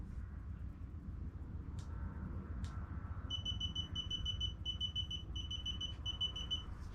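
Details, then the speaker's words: Laser distance measurer during a floor-to-ceiling measurement, giving rapid high-pitched beeps in short bursts over a low room rumble. This is its low-battery warning. "the reason it's beeping by the way in case you can hear it is just because it's telling me the batter is low"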